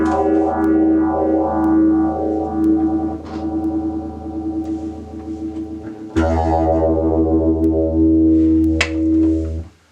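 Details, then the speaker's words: BOSS PH-1 phaser pedal (silver screw, made in Japan) after replacing faulty op-amp IC2 that caused about 7 V on its pins and no effect: guitar chords with slow, even sweep about once a second, phaser working properly. "sure sounds like it works to me huh very cool very cool"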